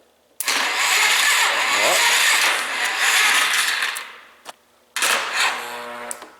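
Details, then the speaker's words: Free 2001 Polaris Scrambler 500 ATV, no carburetor fitted, compression tester installed: two short bursts of laboured dragging cranking that never catches; starter barely turns it, only 20 psi compression shown. "nope not gonna do it and that little bit of turning over it did it only put out 20 pounds of compression"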